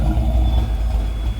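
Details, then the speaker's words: 331 stroker V8 at idle: deep rumble with a slight rise and dip as it hunts for idle; it is running lean and rich, and a log may be sent back to the tuner. "We might have to do a log and send this back to the tuner because we got to figure out why this thing's running lean and rich. This is crazy. But yeah, good thing he pulled up. So you can hear him hunting for the idle."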